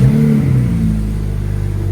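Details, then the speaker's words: BMW N54 turbo six-cylinder petrol with MSD81 upgrade, after DME replacement cured random cylinder 3/4 misfires: runs smooth and even with steady low hum, no stumble. "car runs beautifully."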